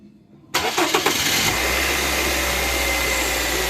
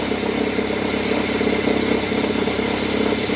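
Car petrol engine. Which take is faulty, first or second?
second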